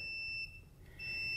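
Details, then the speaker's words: Continuity test in a turbo LS-swapped Ranger, from the selector switch wire to pin 62 on the P59 ECU green plug, during a flex-fuel sensor install. A steady high continuity tone that briefly drops out shows a closed circuit. "okay so just for reference I have it set up on the continuity buzzer so I'll be able to check from that wire all the way over here to the computer and I'm gonna go to pin number 62 on the green plug you hear that thing beep"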